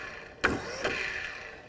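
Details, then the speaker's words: Spinner motor bench-tested off a jump box: short electric whirr spins up and runs down cleanly with no grinding or scraping; motor works normally. "everything sounds good. There's no grinding or anything. So, that's just showing us that works."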